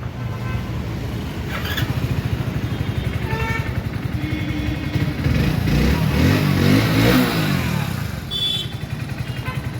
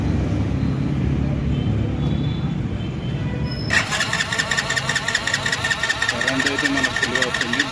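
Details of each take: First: Hero HF Deluxe BS6 motorcycle, after fixing a no-start caused by corroded, carbon-fouled wires at the fuel injector: single cylinder fires steadily and evenly, picks up cleanly with light blips and settles. Normal running after repair. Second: Hero HF Deluxe BS6 motorcycle: after a quiet spell the starter cranks at a steady, rapid churn but the engine never fires; fuel not reaching the cylinder, fuel injector fault.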